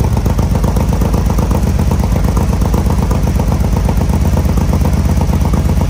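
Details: 2020 Harley-Davidson Road Glide Special with fresh 128" big bore kit, first start after oil priming, before dyno tune: deep, heavy, lumpy V-twin idle, steady thump, no knocks or rattles, some smoke; normal idle.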